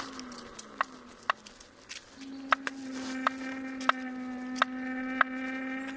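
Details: Kingsong S22 electric unicycle, second (new) hub motor: sharp single knocks about every two-thirds of a second, roughly 90 a minute, over a steady low motor hum; new motor knocking, cause unclear.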